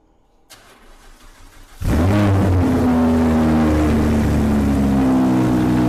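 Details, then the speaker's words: Audi R8 V10 with P0019, started after replacing the camshaft control valves and fitted with a loud Quicksilver exhaust with cats: cranks and catches into a deep, even idle with no more misfires; fixed. "Okay, so we fired up the R8 and straight away we can tell that it sounds fine. There's no more misfires, definitely not. It sounds good."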